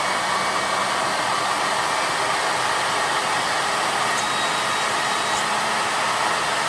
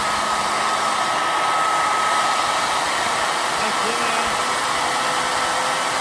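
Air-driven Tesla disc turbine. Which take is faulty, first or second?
first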